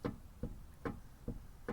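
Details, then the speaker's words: 2010 Kia Rio on jack stand, front wheel rocked by hand back and front: sharp loose metallic knocks about every 0.4 seconds from play in the wheel; worn outer tie rod end, to be replaced. "And that noise? That usually means it's a bad tie rod."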